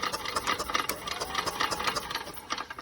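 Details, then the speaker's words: Yamaha golf cart that sat 6–7 years, on a small temporary battery with spark plug out: quick light ticking crank, no firing; raw gas smell and fuel pump working. Cranks but won't start. "Okay, let's see if we crank. Oh, there we go. And I could smell the raw gas now."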